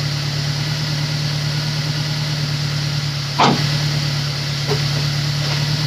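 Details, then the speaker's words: Honda S2000 idling after replacing the melted number-one coil pack; steady, even idle with a smooth low hum, no misfire stumble or ticking; car sounds normal now; normal idle. "car sounds normal now"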